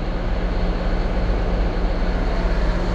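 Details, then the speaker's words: Freshly rebuilt diesel at cold idle showing 67 PSI oil pressure, with no caution lights and a leaking water pump noted. A steady, even low rumble with no knocks or misses: a healthy engine. "What's our oil pressure at? 67 PSI idling, cold. I mean, just fine."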